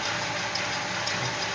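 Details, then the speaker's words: 1963 Chevrolet Impala SS V8 idling: hissing, ticking edge over low rumble from a small passenger-side exhaust leak, owner suspects just the gasket, nothing cracked. "it's got a little bit of an exhaust leak on the passenger side you can hear it hissing a little bit"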